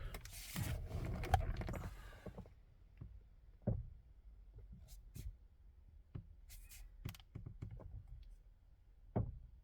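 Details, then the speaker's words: 2018 Hyundai Creta, FWD, 105,000 km, G4FG 1.6L: sharp, irregular clicks as the wheel turns, engine on or off, in any wheel position. It feels near the electric power steering; tie rod ends look fine. Once intermittent, now constant; cause unknown. "как бы подкусывает как будто либо пластмаска либо резинка тянешь тянешь так щелкает"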